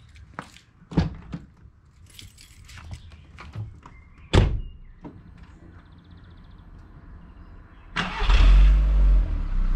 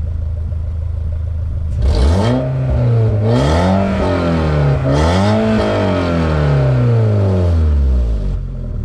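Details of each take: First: Mk4 VW Bora Wagon, 1.6 16-valve engine, stock exhaust and muffler, warm start after an hour's drive: clicks and key, quick crank, clean catch and steady, even idle rumble, nothing odd; normal start and idle. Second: Mk4 VW Bora wagon after a muffler delete with a broken exhaust pipe: three throttle blips give a loud, deep, open drone rising and falling with revs; mostly an exhaust leak, felt underneath while driving.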